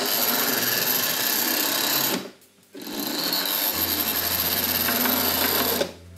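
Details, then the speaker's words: Hornby R.084 Class 29 diesel model locomotive (1978-79), heavily weighted, on the controller switched from half wave to full wave: high, steady buzzing whir at full speed, briefly cutting out then resuming evenly; motor running normally and smoothly. "So it tears away on full wave."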